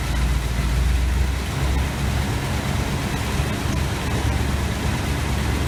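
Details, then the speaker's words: 1986 GMC Sierra 400 small-block V8 after new distributor internals and valve adjustment: steady, even idle with smooth low rumble, no ticking or misses; vacuum 24; valves likely needed adjusting. "tell you what it sounds a hell of a lot better i think those valves did need adjustments"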